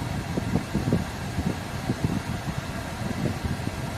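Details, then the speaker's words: Hyundai petrol car idling with AC switched on: low rumble surging and dipping, RPM fluctuating heavily; steadies with AC off; suspected dusty throttle body and spark plugs not changed at service. "ऐसे switch on होने के बाद देखो इसका जो RPM का है देखो कितना जोर से फैक्ट कर रहा है।"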